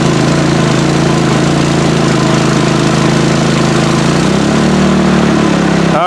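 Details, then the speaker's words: PowerSmart 4400 W generator MB5040B under about 4,500 W starting load (inductive load plus heat gun): loud labored drone with pitch shift after about four seconds; overloaded, overload light on, breakers held, did not stall. "it was just at 4500 Watts right there for 2 seconds and it didn't die"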